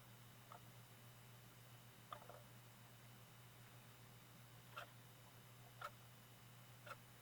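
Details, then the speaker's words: Bose AWRC1P Wave Radio CD player that won't play CDs while the radio works: faint irregular pops about once a second over a low hum as the drive tries to engage, and the display returns to a flashing CD. "It's like it's trying to engage. I don't know if you can hear that popping. And when it pops, it goes back to a flashing CD."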